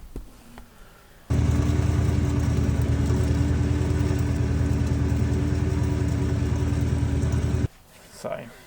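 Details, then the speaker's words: HSV VS Clubsport, rolling: steady low rumble with faint gritty, sand-like grinding from the rear end; axles first suspected, differential found worn and replaced. "I'll insert the clip of when it's rolling it sounds like it has a a sand grinding into it a little"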